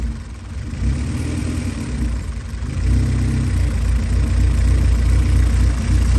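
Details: Honda Civic, engine hot at idle; idle slowly rises and falls over several seconds rather than holding steady; minor hunting idle, vacuum leaks suspected, also over-revs accelerating from idle.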